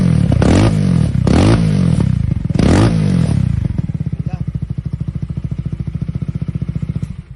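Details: After disassembly and adjustment, with the tank and fuel connector reinstalled, the engine runs quietly: a few throttle blips, then a steady, even idle thump with no tapping. Normal idle, noise gone.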